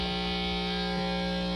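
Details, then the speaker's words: Newly built Deluxe Reverb-style tube amp at first power-up test: loud steady low buzz with stacked tones under the guitar that never fades; the buzz was said to sound like a heater circuit issue, causing hum. "Dan said that the buzz sounded like an issue with the heaters"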